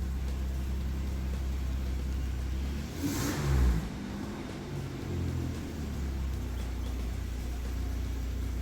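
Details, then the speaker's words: 2008 Dodge Grand Caravan after connectors were cleaned and a missing ground restored to fix rough idle and misfire: deep, steady idle with one brief blip, no stumble or miss. Misfire fixed; code P0129 remains. "ya se mantiene el Iron Ahí está listo ya ya no falla"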